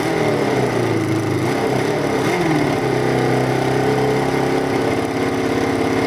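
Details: Carbureted V-twin motorcycle after a modified air setup: steady idle with a slightly uneven, loping beat. Owner says it is a bit lumpy, and the carbs would need rebalancing if he keeps the air setup.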